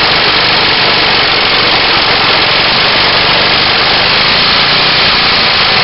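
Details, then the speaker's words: Engine test-run for about 30 seconds after a cylinder was lined with JB Weld: rough, busy run with loud ragged firing and an occasional backfire pop. Afterwards some burning toward the exhaust valve, no scoring. "wow sounds like let's do a little backfire in there but Li Sheeran so here's the results of the jb weld cylinder run"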